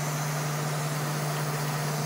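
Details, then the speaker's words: Water-cooled PC, 24 V high-head-pressure pump turned to full speed while bleeding the loop, bubbles pouring into the reservoir: constant low drone under an airy rushing whir; pump noisy from air bubbles in the loop. "The reason why I get a 24 volt pump, because as you can see right now, you can hear the sound of my pump with bubbles in it."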